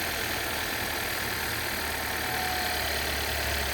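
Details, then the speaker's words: 2015 Volvo XC60 in for a battery issue, timing belt with dry-rot cracks at 60,000 miles: fires right up into an even, settled idle with a steady hum and no knocks or slapping; normal idle. "Whew, fire right up. She sounds good."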